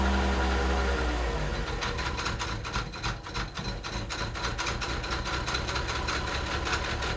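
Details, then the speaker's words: 1989 Mercedes 300SE, long parked, cold after a hard start, possibly weak battery: cold idle with an uneven lumpy pulse about three or four beats a second, heavy vibration and an unidentified noise; rough, cause unclear. "I don't know what that noise is in fact let me pop the hood I've never had a hard start issue with this wall got a lot of engine vibration"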